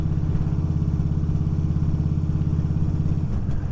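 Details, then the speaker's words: Loud uneven exhaust note on a 2011 Harley-Davidson Road Glide CVO with partially gutted exhaust while riding: deep, lumpy V-twin thump about twice a second; owner suspects the catalytic converter left in makes it sound funky. "It's still got the cat in there. I'm wondering if that's not why it sounds so funky."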